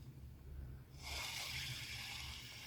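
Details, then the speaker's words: Spinning reel before service: harsh, gritty rasp while turning, though rotation still smooth; cause rusted stock bearing above the pinion, noisy even after cleaning and greasing, fixed by replacing with new bearings. "sebelum diservis dia kendalanya di sini suaranya kasar tapi putarannya sangat masih sangat"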